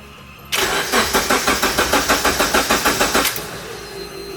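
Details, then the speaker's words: Honda Civic EF with K24 engine swap on a standalone ECU, after clearing an ECU error: starter cranks evenly about three beats a second for three seconds with no firing; engine won't start, sensors checked and replaced next. "Nggak mau hidup dia mal."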